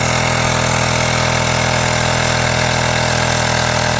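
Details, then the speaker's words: USB rechargeable air pump inflating the plugged motorcycle rear tire from 0 toward 2.4, unit gets very hot: steady, even electric buzz with a constant drone, no hesitation or knocking; normal running. "And we're going to pump this up to 2.4. It's currently at 0. So we're gonna turn it on."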